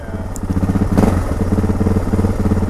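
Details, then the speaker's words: 2006 Suzuki DR650 with FMF header, slip-on exhaust and drilled airbox and carb slide, no airbox tape, vent back in place: single-cylinder idle with an uneven, surging, jumpy beat that won't settle; unstable idle, still surgy on small throttle. "The idle alone kind of sort of sounds like it might be jumping a little. Yeah, it still kind of has it."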